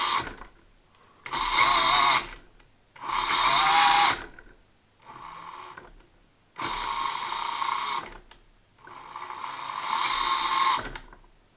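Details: ISDT ESC70 brushless motor after setting Active Drag Brake back to three, following fluttering at a stronger setting: short repeated throttle bursts with a clean whine rising and falling smoothly, no stutter on release; motor runs normally.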